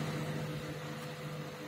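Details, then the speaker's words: Elenberg MS2009M 700 W microwave that switches on and hums, growing louder, but does not heat; fault suspected in the magnetron or another high-voltage part: steady low mains hum with faint buzz. "मरम्मत के तहत यहाँ एक microwave Elenberg model MS 2009M है एक ब्रेकडाउन के साथ, एक सामान्य ब्रेकडाउन चालू नहीं होता है , यह भनभनाता है, फिर भी अधिक जोर से भनभनाने लगता है।"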